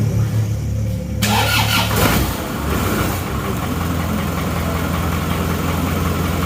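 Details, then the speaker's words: Isuzu Panther diesel after engine overhaul for white smoke, cold start with temperature gauge at cold: starter whirs briefly, engine catches quickly into a steady even low idle, no misses; smoke thin, black with slight blue; normal cold start. "Oke asapnya seperti itu ya jadi tidak tebal ya tidak putih ini termasuk tidak putih kalau seperti ini ya hitam ada birunya sedikit karena temperatur Masih dingin jadi asap seperti ini bukan asap putih tapi asap hitam"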